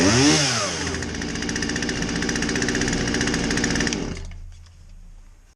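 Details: Poulan 2150 chainsaw with a won't-start complaint, after a basic tune-up with a fresh air filter: two-stroke rings up to a high, steady buzz for about three seconds, then drops off cleanly; healthy and responsive.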